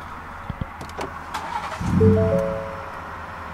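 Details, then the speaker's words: 2022 Ford Raptor, out of fuel after idling just under six hours on 1 gallon. Restart attempt: short crank, the engine catches for barely a second then dies, with chimes after; stalls from fuel starvation. "it just dies right away oh my God"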